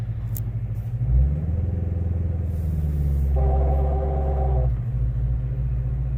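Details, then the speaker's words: 2016 Chevrolet Corvette C7 Z06 manual, starting from a stop in first gear: deep engine rumble with rough grinding, rubbing drone as the clutch takes up, stopping once engaged; occurs hot or cold, flat or slope; cause not pinned down. "You hear this awful grinding, this rubbing noise that sounds like the clutch is gonna fall out. And it just doesn't happen when it's hot or cold."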